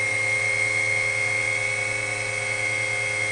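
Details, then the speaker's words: WWII-era RT-7/APN-1 radar altimeter switched on in lab, current jumping then settling while tubes warm: steady, high, even whine from the dynamotor supplying high voltage, no wobble or grinding; normal. "So let's switch it on, see what we have. You'll hear a whine from the dynamotor."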